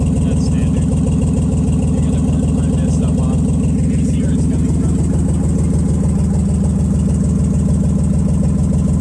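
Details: Nissan Z31 at idle on first start after rebuilding all the injectors and the fuel rail components, fuel temperature sensor unconnected, with exhaust leaks present: uneven thumping about three pulses a second, a misfire that persists although the injectors work.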